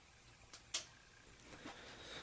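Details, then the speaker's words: Samsung flat-panel TV at power-on: faint relay clicks repeating three to five times before the set turns on, a common fault on these TVs. "you can might be able to hear the clicking of the relay inside of the tv it'll click for several times before it turns on"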